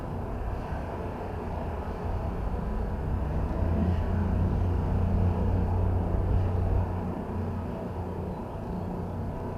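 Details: Audi TT stopped at a light: low rumble rising and sagging unevenly, nearly stalling, with a sharp gunshot-like misfire pop, from a large vacuum leak that also caused bucking, surging and loss of power brakes.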